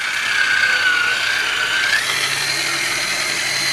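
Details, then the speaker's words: Raymarine Autohelm ST4000 wheel drive after drive belt repair, run from a 12-volt battery charger: a smooth, constant motor whine with light gear hum and no slipping or rough spots. It is running normally. "let's see how smooth she is see that's all you want should be very smooth"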